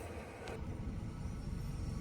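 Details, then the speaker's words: VW Polo petrol with P0301 cylinder 1 misfire code, stalling and losing pickup after 10 km; just restarted after fitting new spark plug and refitting coil: short, quiet, even idle with no stumble or missed beat, all cylinders firing. "Friends गाड़ी को start कर दिया है हमने। आप देख सकते हैं।"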